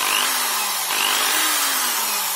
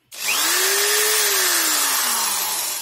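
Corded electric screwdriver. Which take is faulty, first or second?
first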